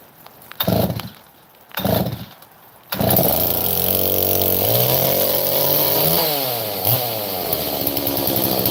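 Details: Chainsaw, similar to an 038 Mag, with choke built into the air filter, fired up after a couple of pulls; crisp, steady two-stroke buzz revving cleanly up and down with no stumbling; normal running.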